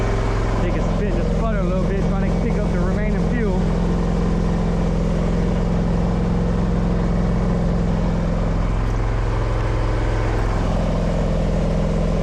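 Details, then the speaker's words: Scag V-Ride 2 XL mower at its 20-hour break-in service, running a few minutes after the oil change so oil cycles through and fills the new filter. Steady, even drone with no misses or knocks. Normal running. "And all we're gonna do is just let it run for a few minutes. Let the oil cycle through."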